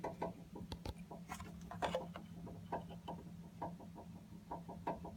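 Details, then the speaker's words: An old Navion water heater at around 6 a.m.: irregular light knocks and rattles, about one every couple of seconds, over a low hum. The on/off part was ruled out as the rattle, and the source is unidentified. "This moves, but this isn't the thing that's knocking around. This. I touch it, I don't feel anything. But this is where it sounds like it's coming from."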